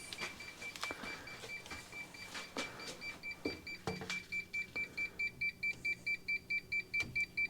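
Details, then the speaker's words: Polar UV water treatment sterilizer: steady high beep repeating a bit over twice a second, nonstop; the lamp-change timer alarm demands a new UV bulb and keeps sounding even though the system still works. "that beeping means that I've been sold a set of handcuffs. That beeping is the sound of my right to repair slowly slipping out of my grasp."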